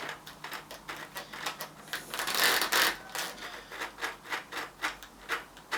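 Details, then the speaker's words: Old-school GT mountain bike bearing, rusty, turned by hand during restoration: irregular gritty rasping pulses about three a second, rough and scratchy; corroded, worn bearing with a ton of play on the outer race. "That sounds bloody awful. I know where I'm going with this. So that's alright, but there's a ton of play in it."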